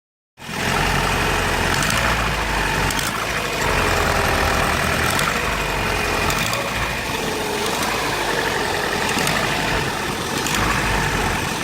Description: Vauxhall Astra G, X reg, 1.6 8v, engine code X16SZR massive misfire when cold but Is fine when warmed up also clicking noise is always there when accelerater pedal is pressed.